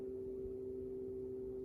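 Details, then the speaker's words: Tower fan running from the AC outlet of a Mophie Powerstation Go Rugged: steady, fixed-pitch midrange hum with the fan barely audible underneath; the fan is likely too big for this device, with cause of hum unconfirmed. "but there's like this humming noise so i'm going to turn it off so that humming noise doesn't sound good"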